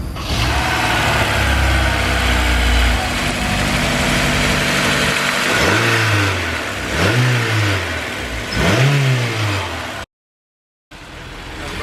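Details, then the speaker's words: Honda S2000 with low power and engine noise, which the knock sensor picked up and pulled timing. After replacing the missing lower alternator bolt, engine blips from idle show a light ticking rattle following revs. The lifters are a bit rattly and other bolts are possibly loose. "The lifters are a little rattly. Possibly these other bolts loose too then."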